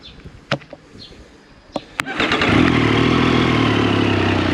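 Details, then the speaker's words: Triumph Street Triple 765 RS with newly fitted Spark headers and baffle installed: triple fires after a few cranks into a rough, fast chuff with sharp ticking puffs, exhaust blowing at the header joints before assembly paste was applied. "go yeah it's definitely blowing you can hear it"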